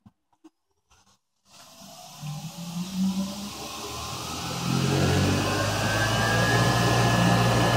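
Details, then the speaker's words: 1925 Spencer Turbine central vacuum cleaner run from single-phase power through a variable frequency drive: quiet, then the motor starts and spins up to full speed, settling into a smooth, even hum with a rising whir. Healthy. "it's running on full speed and that's that just motor sound"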